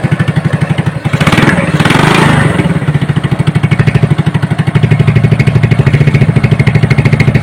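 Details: Hybrid Honda Supra (BMC right block, Honda left block) after teardown to fix a rough noise, idling with the valve cover cap off to check oil reaching the head: steady, even single-cylinder idle thump, a throttle blip, then a smooth beat; normal idle.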